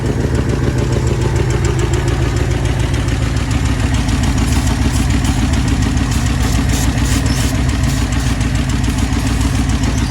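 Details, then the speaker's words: 1966 Ford Thunderbird 390 V8 idling during a vacuum leak test after carburetor replacement: even, steady lopey idle with no change when tested, so no vacuum leaks. "So, yay! No vacuum leaks, and I didn't blow up."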